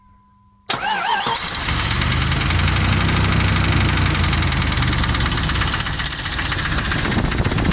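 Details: Jeep 4.7 after valve stem seal replacement, hydraulic lifters and rockers mixed up unmarked; owner suspects that causes the knock: fast, fairly steady light tapping over the idle; valvetrain ticking.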